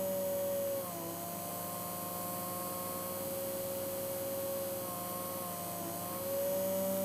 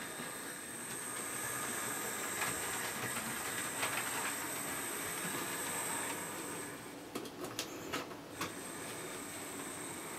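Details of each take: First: Original Hornby-fitted motor of a Hornby P2 Cock O' The North locomotive, static off-load test, starting at about 4 volts: a steady whir whose pitch drops suddenly, then climbs back, so the speed surges unevenly. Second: Hornby P2 Cock O' The North model locomotive after replacing the original jerky Hornby motor with a new one: steady, even whirr with a faint high whine and light track clatter, no grinding. Normal smooth running.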